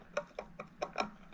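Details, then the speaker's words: Mate X 20x4 fat-tyre e-bike rear wheel spun by hand, no motor running, after washing: light dry ticks about five per second, with grinding and play in the loose cassette; loose cassette ticking. "So the cassette, yeah, you can hear it in between. So it's grinding like that, and if you look at it over the wheel like that, it's slightly loose. It's got a bit of play."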